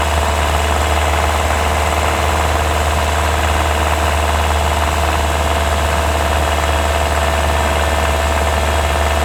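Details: 2024 Hyundai Tucson NX4 Hybrid, microphone mounted directly on top of engine: loud steady drone with rough uneven rattle, heard only when combustion engine runs under load uphill; hard to locate, some claim it's normal; recorded before inspection.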